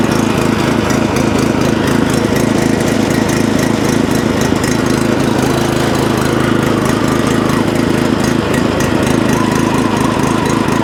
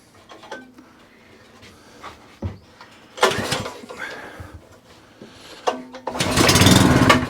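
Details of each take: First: Previously non-running tiller/rotovator started on choke, tested before purchase; small single-cylinder engine putters at a steady, quick beat without stumbling, holding speed evenly. Running properly now. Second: Non-running tiller rotovator engine with a new Briggs overhead-valve spark plug, pull-started on carb spray before carb strip-down: one yank, then a short ragged burst of firing that dies away; fires briefly on carb spray.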